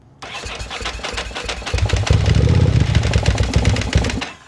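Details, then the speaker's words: 2000/2001 Ducati Monster 900, long laid up, with new fuel pump and cleaned tank. Catches only on gas squirted into the throttle bodies, fires unevenly for a few seconds, then dies. Owner suspects the Power Commander or failed fuel injectors. "All right, so it wants to run. So, we're not sure if it has something to do with the Power Commander or if it has something to do with the fuel injectors just being completely toast, but it sounds pretty good."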